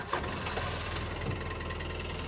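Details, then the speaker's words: 2013 Polaris Ranger twin with prior code 651 injector misfire from broken injector connection: steady even idle with low unhurried beat, no misses; normal idle when injector wire undisturbed, tone changes when wire moved. "right there it sounds pretty good running normally I don't have an engine code"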